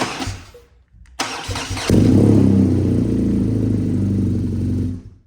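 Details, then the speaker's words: BMW R NineT Racer twin, first start in neutral after oil change with oil at high mark, to circulate oil through dry filter: starter whirs, catches cleanly, steady even idle, then shut off; healthy start. "So you just needed to get the oil circulating, and now we're on the final step."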